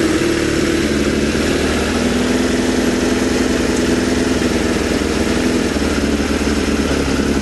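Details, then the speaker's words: Suzuki Bandit 600 four-cylinder motorcycle found firing on three cylinders, dislikes running without choke: idle coughs and splutters irregularly with beat dropping out; owner suspects one cylinder not firing, cause unconfirmed; rough idle misfire. "It doesn't like running without a choke, does it? That's a little bit of choke, but you can hear it coughing, spluttering again."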